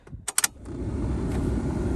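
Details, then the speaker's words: 1995 Jeep Cherokee XJ, key on after replacing the faulty ignition switch (before, radio, fan, lighter and wipers were dead): keys rattle, then a steady, even blower fan whoosh holds level. The blower motor is working normally. "all right here the radio on cigarette lighter's working blur motors working let's see if it starts"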